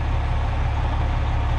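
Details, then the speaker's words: 1994 Freightliner FLD112 truck tractor with injectors replaced within the last couple of years, good oil pressure, no issues: deep, even diesel rumble at idle, smooth steady beat without knocks or misses; normal idle. "This truck runs real good. Never had any issues with it. Got good oil pressure."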